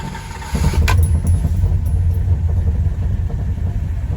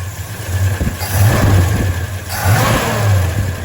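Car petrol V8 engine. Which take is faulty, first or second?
first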